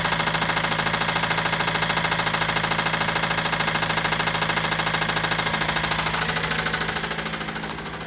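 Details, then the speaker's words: Toyota Celica with a newly fitted replacement JDM engine: sharp, even knocking at about 2.7 per second over a steady idle, easing slightly near the end; severe internal engine knock, and the engine likely needs replacing. "that doesn't seem too bad but clearly that sound is horrible"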